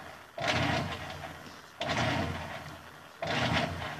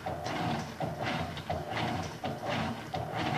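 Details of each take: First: Electrolux LF 750 washing machine: short agitator strokes about every second and a half with quiet gaps and no return stroke; agitator turns one direction only, control board suspected and being swapped for testing. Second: Electrolux LF 750 washing machine, previously agitating one way only: regular even agitator strokes roughly every 0.7 seconds with no grinding; normal agitation.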